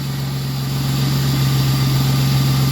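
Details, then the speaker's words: 40th Edition Ford Mustang with a new alternator, not yet warmed up, idles with a deep, even drone. No misfire or hesitation; it runs smoothly and sounds healthy. "man she runs smooth too she runs really really well huh [Music] no real misfire at all or anything that runs pretty smooth man"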